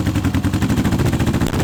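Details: Old Honda CB750 K four-cylinder project bike, first start in years on unleaded petrol with choke on; loud, lumpy chuffing in an uneven beat at about thirteen pulses a second. Seemingly running on two of four cylinders; owner had expected a coil fault, cause unconfirmed.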